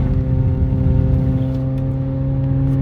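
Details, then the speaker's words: 2010 Kia Soul driving: steady low drone with hollow, rough edge under the engine note; exhaust leak, likely after the catalytic converter. "this time it's not the Hyundai yeah so there you go exhaust leak Kia Soul another one to do"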